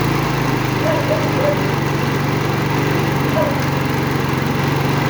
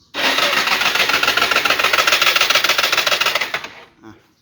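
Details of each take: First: Yamaha Fino scooter bought old with missing parts, valves reset, timing chain tensioner at its limit (chain likely stretched) and extended as a temporary fix, battery charged: cranking gives way after about six seconds to a steady, even single-cylinder idle; starts normally. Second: Yamaha Fino scooter that wouldn't start after riding: starter spins engine fast and evenly about three seconds, never catching, no compression; timing chain suspected dropped, bent valves or broken spark plug possible, to be disassembled.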